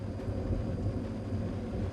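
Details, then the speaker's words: Dickinson diesel cook stove on a sailboat warming up before damper is lifted and setting turned to 1.5: low rumbling roar swelling and easing as the diesel starts to burn; normal warm-up. "Let it warm through for a couple of minutes. Can you hear that sort of surging burning?"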